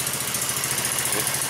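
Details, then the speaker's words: Cold 150cc four-stroke single go-kart engine just after a valve adjustment; crisp, quick, even putter with no ticks or knocks; clean, healthy idle. "as you can tell the coal cars still running sounded good"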